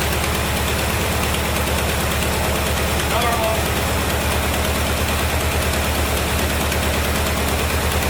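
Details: 1973 Chevrolet Corvette C3 revival, run after a shot of gas down the carburetor, wheels not turning: steady low rumble with even firing pulses, no knocking or stumbling; a little smoky; normal idle.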